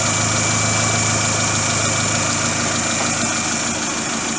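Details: Great Wall Hover H3 after head gasket repair for a blown gasket (antifreeze in cylinder 4, emulsion in oil, cooling system flushed and refilled): even, steady idle with a smooth constant beat and no knocks or misses while warming up; healthy.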